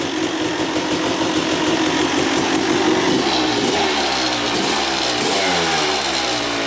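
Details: 2000 Suzuki RM250 two-stroke after welding the underside of the expansion pipe: crisp crackle rising and falling cleanly with throttle, no leak puffing; weld holding, run about 10 minutes, oil not milky so water pump seal likely good.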